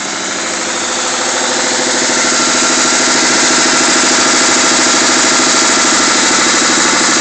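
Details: Mustang 3.2 L V6 just out of the shop with new heads, at idle: fast, even knock riding over the engine; owner suspects a spun bearing, bottom-end problem unconfirmed.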